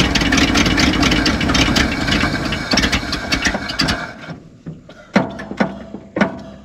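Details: Abandoned 1970 Ford F600 U-Haul truck that sat about 30 years, butterfly held down: starter churns steadily about four seconds, then short weak bursts, never fires; cranks, no start. Starter solenoid then found smoking.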